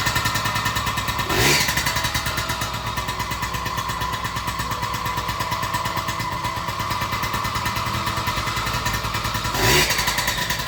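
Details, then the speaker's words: Yamaha PW50 50cc two-stroke after new aftermarket crankshaft, crank bearings and seals, cold engine: crisp even buzz with two clean throttle blips, no knock; bottom end healthy, knock gone after repair. "all right so the bike's cooled out now as you can hear it runs good finish it off more knock any more just kicks over like it should"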